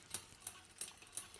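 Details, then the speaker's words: Mountain bike: sharp steady chain clicks about three a second as chain tries to jump to next cassette cog; rear derailleur set too far inboard. "hear that noise click click click that's because the chain is trying to jump to the next gear in the cassette"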